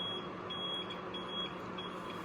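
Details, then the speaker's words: APC UPS on battery backup: unbroken high-pitched beep over a low hum as the battery is exhausted and about to die; it can't be silenced with the test button. "Battery जब exhausted हो जाती है और dead होने वाली होती है तो उस पर ये कंटिन्यूसली बीप शुरू कर देता है।"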